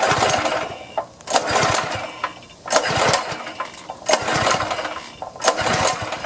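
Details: Power washer small engine, choke and fuel on, primed with carb cleaner; catches in short bursts about every 1.5 seconds then dies each time; carburettor suspected.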